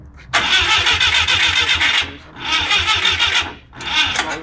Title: Citreon dyane with Gs Engine still won't start!!